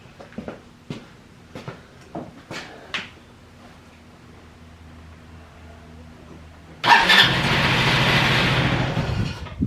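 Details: Free roadside ATV with a starter button that overheats gives scattered weak pops while cranking, then catches into a ragged run that can't settle; the carb can't pull enough fuel from the tank, so starting fluid is to be tried next.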